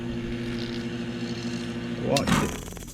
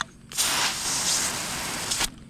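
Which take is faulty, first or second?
second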